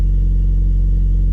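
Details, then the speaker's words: Toyota MR2 SW20 after throttle body cleaning: steady raised idle with no dip or hunt, not its normal sound; throttle cable keeps sticking, holding throttle open. "So this is all coming back off again because the throttle cable keeps getting stuck, and then when we turn the car on, the throttle is staying open and the lead keeps coming off."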